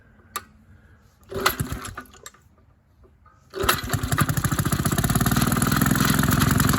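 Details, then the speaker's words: Maytag 72 twin-cylinder engine on a power hacksaw with 5 in pulley, RPM adjustment at its limit: a few pops, then a quick, even beat holding steady; normal steady running, still faster than wanted. "well that'll work a little faster than I wanted but you know hey it is what it is"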